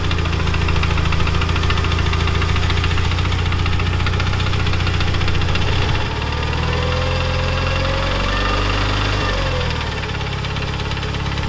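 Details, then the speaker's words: Neglected Mitsubishi Evo 9 turbo four at idle: loose, uneven tick of about three per second over a steady idle; lifters previously replaced, timing belt tensioner blamed by a mechanic but doubted, hydraulic lifters suspected; engine ticking at idle. "Yeah, it's definitely not that lift or the tensioner. To me, it sounds like, so these are hydraulic lifters for the valves."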